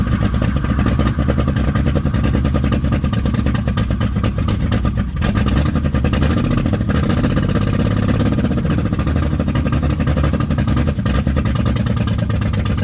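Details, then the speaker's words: 1995 Plymouth Voyager, 209,068 miles, wrecked and botched head-gasket job, first start after 3–4 years sitting: very loud, clattery, uneven rough running, ragged low rumble, heavy oil leak onto belt; owner suspects it jumped timing. "Would you look at that? Did you hear that? She fired up. Boy, did it not sound right."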